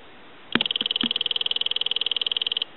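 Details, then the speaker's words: Western Electric Sculptura donut telephone, after installing a bridge rectifier polarity protection circuit, ring test with phone base by microphone: thin, rapid, dull damped ring about two seconds; ringer barely audible, muffled. "I'll let that go a couple times I'll let it go one more time it's so faint that you can barely hear it and if you were sitting away from the telephone you would never hear it"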